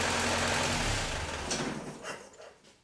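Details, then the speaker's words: Land Rover 2.25 petrol engine test-run before rebuild install, rough idle dying at shut-off with a few sharp pops blamed on fuel from a dirty carburettor with green deposits blocking small ball valves; the carburettor needs rebuilding. "Very annoying. I could hear it popping a little bit. That'll be the um fuel. We don't want that to be happening when we fire up the new engine and be wondering why."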